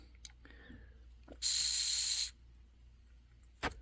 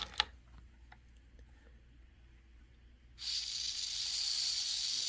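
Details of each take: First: Honeywell water heater gas control valve (pilot lights blue then turns off), air blown through valve body with button held: brief hiss under a second then cuts out; valve body won't hold pilot flow despite good ohms test and clicking, so it is faulty. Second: Honeywell water heater gas control valve that lights blue and turns off, tested after the second solenoid click. A click, then a steady soft hiss of gas with nothing rough in it; the pilot is working, normal pilot gas flow.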